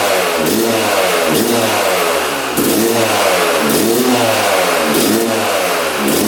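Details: 1997 Yamaha YZ250 two-stroke, previously non-starting, on choke with fuel on: fires first kick, buzzes with repeated rev swells every second or so, never settling; won't hold idle.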